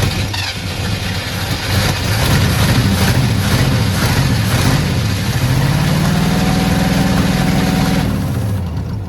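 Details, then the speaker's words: 1972 Ford F100 V8 sat for decades, being revived: uneven engine catches and runs rough for several seconds, then stops, since it was run from a remote starter trigger with the ignition key off; engine dies when starter released. "Sounds like it wants to run though. Why does it keep shutting off on us?"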